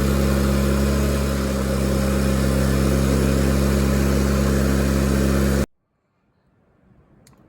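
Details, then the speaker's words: Miller Bobcat 225G welder-generator, idle for years, after starter solenoid, ignition pickup, alternator, fuel pump and fuel line repairs, running for tack welds: steady, even drone at constant speed about five seconds, then shutoff; the welder works fine. "Okay, so we got the the pieces tacked. Uh that the welder seems to work just fine."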